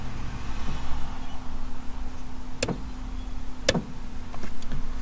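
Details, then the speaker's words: 1985 Mazda 929 (HB coupe), revived after 10 years on a farm; at steady idle, factory electronic adjustable suspension switched to soft then hard gives two sharp clicks about a second apart: normal suspension actuator click. "but you should hear the relay click when i go too soft i don't know if you heard that dunk and then i've got a hard"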